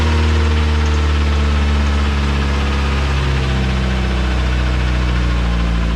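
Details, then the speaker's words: Car engine finally running after a long no-start struggle: steady low rumble with an even pulse at idle, no misses or knocks; running smoothly. "okay as you can see it is running finally"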